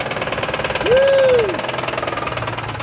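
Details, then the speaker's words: Dodge with 6.7 Cummins diesel at idle: a steady, deep, rapid bottom-end knock under the diesel clatter. It needs a new engine. "Well, this Dodge has got a bottom end knock, as you can hear. Woo! Time for an engine."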